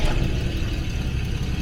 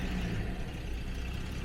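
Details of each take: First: 1977 Jaguar XJ12 after breakdown with loud boom, distributor reset, timing rough, air filters off: fires right up into steady low rumble, low idle, no knocks or misses, low pressure building; normal running. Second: 1977 Jaguar XJ12 V12 restarting after roadside breakdown, air filters off, spare richer ECU fitted: low, slightly uneven idle with deep steady rumble, no knocks; ignition timing only roughly set, so idle sits low.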